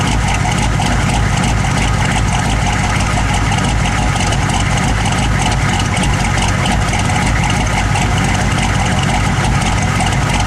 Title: 1009 rough idle